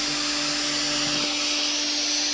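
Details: Mixer grinder motor after armature replacement, new carbon brushes fitted and washers adjusted so the armature spins free, first checked on a series lamp, then run on direct supply: steady high even whine, no crackle; sparking seen before is now gone.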